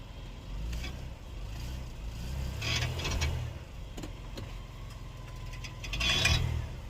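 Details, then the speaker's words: 2020-2022 Ford Explorer police vehicle, rear, taking off after shifting park to drive or reverse; a few sharp metallic pops and tings between suspension grunting; repair avoids replacing CV axles. "you hear the little ting ting ting ting ting in between the suspension grunting there's a little ting in there"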